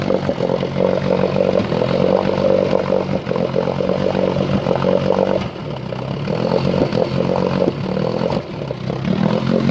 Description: I turn choke off. Then i bring the idle down to where i start having a sputtering/missing scenario.